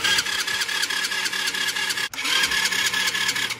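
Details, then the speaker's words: Old quad's first start attempt in years, new battery, starting fluid sprayed in intake: fast, even cranking that never catches; suspected no spark, though spark was later found present. "That sounds like no spark. I'll spray in a little bit more, and then if that doesn't work, we'll try pull the spark plug and see if there's any spark."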